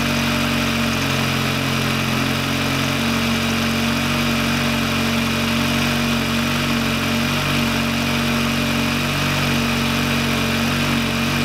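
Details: VW Lupo 1.8T four-cylinder turbo after engine-failure rebuild (H-beam rods, new bearings, 2 mm head gasket): steady even idle, smooth low hum, no knocks, ticks or misses; running healthy.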